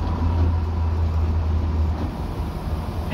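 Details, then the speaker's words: Land Rover Series 3 at about 50 mph, run after fitting a new replacement differential (4.75 ratio vs standard 4.7): even low road drone, only slight expected backlash noise on the on/off-throttle transition, no whine or clunk; differential now healthy. "fine there a slight noise between in the transition between on the gas and off the gas load and overrun that's to be expected it's all the gears going from lash to the opposite lash backlash it's good man it's good I fixed it"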